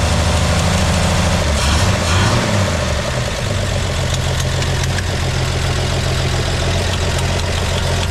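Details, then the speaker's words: 1958 GMC pickup, parked for years, first start with a broken choke that won't hold; settles into a steady, even, low idle with no knocks or misses; normal idle, runs healthy. "well all right fire in the hole the choke table broke so it ain't going to hold it CH no more [Laughter] sounds like a machine"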